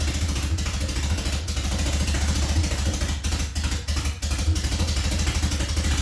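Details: Nissan Silvia after flooding in all four cylinders, with spark plugs dried out: uneven, lumpy running with dips and stumbles, only staying alive on throttle blips; it won't hold a steady idle, cause not yet found.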